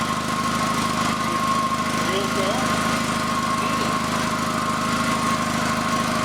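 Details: FF/18 vehicle's replacement two-cylinder liquid-cooled Honda engine from a tractor, first shakedown run after install: even, steady low thrumming with a constant beat and no misses or knocks. Passed the shakedown run; normal.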